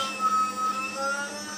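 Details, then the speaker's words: Spindle rotation stepper motor on a repaired hybrid power module driver (MOSFETs bypassed/replaced), pulsed from a signal generator: even, clean hum without crunch or stutter, versus very crunchy before; smooth rotation. "quite happy. I'll just put it back in its normal micro-stepping mode. So that's giving a nice smooth, even sounding rotation."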